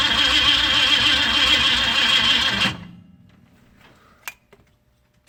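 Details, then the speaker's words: 1965 Ford Mustang fastback, 289 V8 with Tri-Y headers, first start attempt after sitting 44 years, cold day, quick-start sprayed: starter cranks evenly about 3.5 turns a second but never fires; coil was never fed power, so no ignition. "oh you didn't hook up the coil my calls sorry Williams he forgot to feed the coil we need some power to the car"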